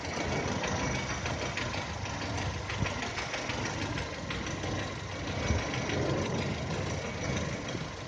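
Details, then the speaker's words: 2010 VW Touran 1.6 BSE, cold idle below 1000 rpm after two days parked: rough idle with fast even knocking throughout, which quietens as it warms and stops above 1000; seems left side. Rebuilt just over 15,000 ago: new pistons, valves, hydraulic lifters, bored block; cause unknown. "По мере подевания он все тише и тише стучит."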